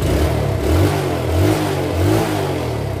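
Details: Yamaha Vega ZR after electric starter repair (previously only clicking): engine catches and runs, blipping up and back down smoothly with no grinding or clatter; normal start and running.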